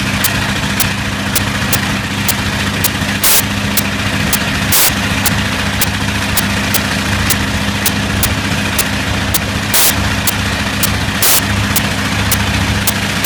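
Steady heavy radial drone broken every few seconds by a brief dip and pop, an uneven beat showing a slight misfire.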